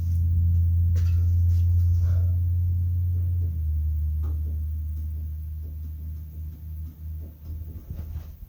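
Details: 1971 Lincoln Continental Mark III V8, first start after 40 years sitting, with new starter, points set but timing not yet set: deep, steady rumble that slowly fades and turns uneven; still running rough.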